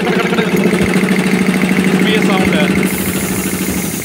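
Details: Air compressor making a steady tak-tak knock about three times a second over the motor hum while running; rhythmic internal knock, cause suspected but not confirmed.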